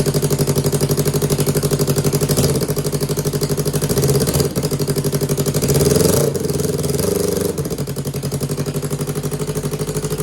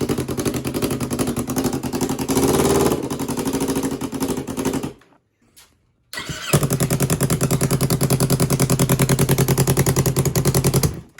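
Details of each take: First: 2015 Yamaha R3 twin engine, revived after a year without running: even, steady firing beat with a couple of small throttle blips, both cylinders pulling; normal idle near 1,500 rpm. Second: 2015 Yamaha R3 twin engine from a cut-up bike, revived after not running for over a year: it catches with an uneven thumping beat, stalls off the throttle, then restarts to a lumpy misfiring idle before warm-up; faulty ignition coils.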